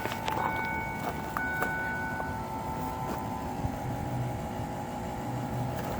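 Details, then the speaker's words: 7.3 Powerstroke diesel with newly installed AirDog 150 lift pump mounted under the truck, key on, engine off: steady electric hum with thin high whine easing after a couple of seconds; normal fuel lift pump priming, inaudible once running. "Why is the pump running? And then we got So you can hear it. You can definitely hear the pump."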